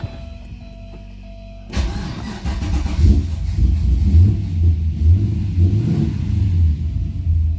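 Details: Chevy 6.0 LS V8 swapped into a Porsche 944 with a newly installed carburetor and fuel pressure bypassed down to about 20. It starts and settles into a deep, lumpy idle of about two beats a second, steady and normal.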